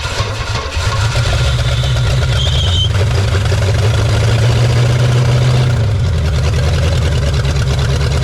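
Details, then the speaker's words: 1969 Pontiac Bonneville 428 wagon, parked since 1981, running with a second battery hooked up: loud, lumpy low rumble at about three beats a second with heavy smoke; rough running, seems to quit once it warms up. "Man, still not that great though. Seems like as soon as it gets heat in it, it doesn't want to go anymore."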